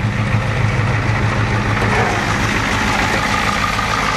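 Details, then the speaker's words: 6.9 diesel after new injectors, head gaskets and finally a new injection pump fixed smoking; steady even idle clatter with no stumbles or misses, no smoke; healthy. "That's what we're talking about, folks, right there. Nice, clean, burning 6.9 diesel right there."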